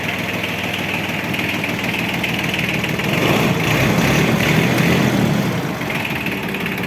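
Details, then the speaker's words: Japanese Yanmar AF15 mini tractor in excellent condition: an even diesel clatter at idle, about four firing beats a second with no misses or surging, a smooth, healthy idle. "как видите трактор в отличном состоянии работает ездит ща попробуем запустить tags работает ровно"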